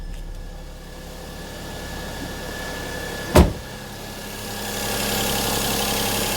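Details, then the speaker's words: Perodua Kenari after alternator replacement, idling: electrical load switched on, and the steady idle climbs slightly and settles as the engine compensates, with the earlier whine much reduced; normal idle speed rise under electrical load. "I'm just going to turn on some electrical load. Hear the revs go up to compensate."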